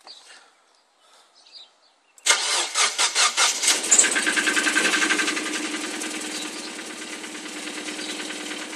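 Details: Mazdaspeed Miata started completely cold, hood open: fast idle with a sharp, even ticking knock about twice a second; knock almost disappears once warm, owner suspects a failed rod bearing.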